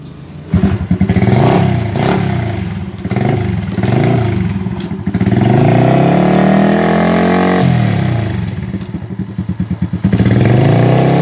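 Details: Honda Revo (ABS) single-cylinder motorcycle that was smoking heavily, after a new cylinder block: fires up, revs cleanly up and down, then settles to an even idle; sounds healthy, normal running.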